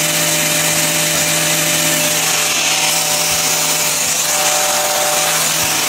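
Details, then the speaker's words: Small wind generator running on its tower after repair: quiet, steady whir with constant low hum under wind hiss, only the chain's rattle audible, no knocks or grinding; running normally. "Pretty quiet. You can hear the rattle of the chain. But that's about it."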